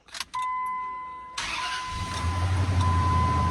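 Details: 2002 Ram 1500 4.7 V8 that died while driving with no codes, after crankshaft sensor replacement: warning chime, starter catches quickly and engine fires into steady even idle; starts cleanly.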